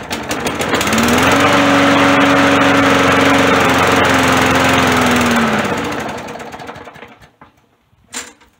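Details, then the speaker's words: Roadside-found lawn mower with a primer and choke set to rabbit: it catches and runs briefly with a steady drone, then the pitch sags and it dies within seconds. Stalling after start; a carburetor issue. "let me see if i can crank it again [Applause] all right so it's starting definitely a carburetor issue"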